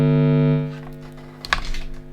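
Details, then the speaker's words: Generic wall-wart power supply placed near the guitar input tip injects a loud, steady buzzing hum with stacked tones, then clicks; noise radiates from the wall adapter and its wires into the pedalboard signal chain. Power supply noise. "yeah you can hear how noisy that is so a lot of noise coming from the wall and from the wires as well"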